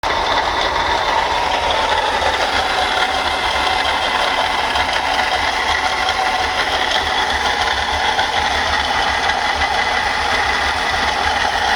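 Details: Mercedes-Benz C240 with a bad water pump: the broken bearing makes the pump wobble and leak coolant, giving a constant gritty rattling chatter with a faint high whine over the running engine and no low rumble.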